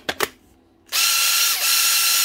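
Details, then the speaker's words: 2014 Makita DTD146 cordless impact driver: a couple of clicks, then a high, rough whirring motor note with a thin tone that dips briefly; brushes make full contact, so not brushes. "that doesn't sound [Music] good sounds like a [Music] motor"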